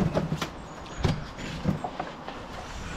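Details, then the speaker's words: Two-stroke microlight engine with three-bladed prop, on suspect old fuel, pulled through: slow uneven thumps about every half second with good compression, never firing; cranks but won't start, fuel and plugs suspected. "it won't go it won't go Jesus it's got a good"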